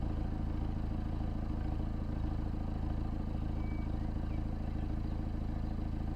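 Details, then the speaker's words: Peugeot 308 GTi THP engine after fixing the common PCV oil leak: smooth even low idle with a steady hum and no ticking, hissing or misses; sounds all right, test drive to follow. "Yeah, it sounds all right. We'll probably take it for a test drive just to double check things over."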